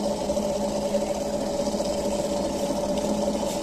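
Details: RO water purifier booster pump after fixing its loud running noise: a steady, even mid-pitched hum with a faint higher tone and no rattle or surging; the noise is much reduced and the pump runs smoothly.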